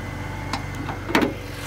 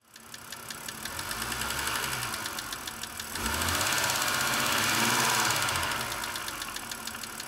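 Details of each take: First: 2006 BMW 330i (E90) with the N52 engine, after adding a small amount of Lucas heavy-duty oil stabilizer to cure a lifter tick. It now starts easier and idles with a smooth, even hum and no ticking from the top end. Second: 2006 BMW 330i (E90, N52 petrol engine) before treatment: a sharp, regular ticking of about 3.5 per second over the running engine, a hydraulic lifter tick. It was later quietened with Lucas heavy-duty oil stabilizer.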